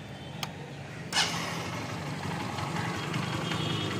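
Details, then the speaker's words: Honda Unicorn single-cylinder after full engine rebuild, valves set slightly loose for mileage: brief blip then steady even idle, no knock or rattle, very smooth. Finding: normal idle after repair. "Engine beating గాని running గాని చాలా అంటే చాలా smooth గా ఉంది"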